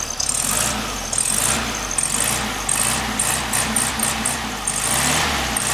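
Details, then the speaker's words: 1967 VW Beetle air-cooled engine with a newly rebuilt distributor and correct spark plugs, about a minute after starting: even, steady idle with crisp regular chatter and no misses or knocks; running as it should. "Should be running fine. Sounds good. It's been running for about a minute. It seems to be picking them up and putting them down really nice."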